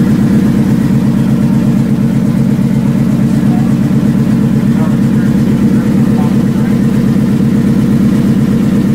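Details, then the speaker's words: Factory Five Mk4 roadster V8 at its first start, oil pressure down to 65 psi: fast, even ticking over a loud idle, keeping pace with engine speed; an exhaust leak, probably at the header collector. "right here we have an exhaust leak over there click click click hear it it's probably coming out of the collector it's okay"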